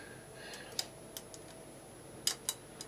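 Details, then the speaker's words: Suzuki GSX-R1000 front brake disc rocked by hand: a few sharp metallic clicks at irregular moments from several loose floating-disc bobbins, which chatter at low speed. Discs are being replaced. "is loose and I think there's a there's a few of them there's another one that one's a little bit one on the back there so yes there's a few of them and that really is annoying at low speed you can hear it just chattering away"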